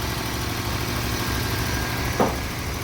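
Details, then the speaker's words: Nissan Micra idling rough and lumpy at 1100–1200 rpm with check engine light on, stumbling deep pulse; scan shows cylinder 3 and cylinder 1 misfire, also high fuel consumption. "आप देख सकते हो 11 1200 RPM है इसका इसमें भी problem है और चेक लाइट भी न है जरा दिखा इसकी चेक लाइट भी ऑन है आप बाहर दिखा इजन दिखा यह आप देख सकते हो कितनी टंग है इसमें कितनी मिसिंग हो रही"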